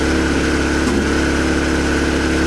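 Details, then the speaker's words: Suzuki Bandit 600 four-cylinder, cold, idling on a little choke after a plug was refitted; uneven coughing, spluttering beat, earlier found firing on three cylinders; owner suspects one cylinder by feeling lukewarm exhaust, not confirmed: intermittent misfire. "but you can hear it coughing, spluttering again."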